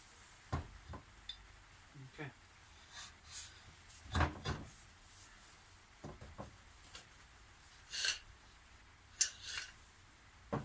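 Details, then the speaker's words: Triumph fork, spacer added to lower ride height: irregular hollow clunks and rattles as the fork is moved by hand, the loose spacer knocking around inside the tube. "So you can hear that spacer rattling about in there."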